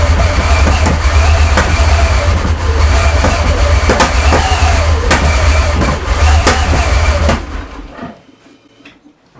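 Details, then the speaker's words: Porsche 928 V8 at its first start after an engine rebuild, with the airbox loosely fitted: rough, lumpy running with irregular pops and bangs for about 15 seconds, then it stalls. Misfire. "there we have it so it's clearly missing on something there a lot of pops and bangs"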